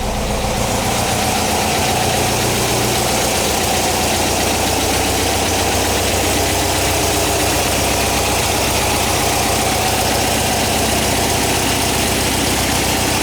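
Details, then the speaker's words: 1959 VW single cab pickup air-cooled flat-four, first run after restoration, warming up. Busy but steady chatter at a settled idle, no misses or surging. Normal, healthy idle. "Sounds good, I like it."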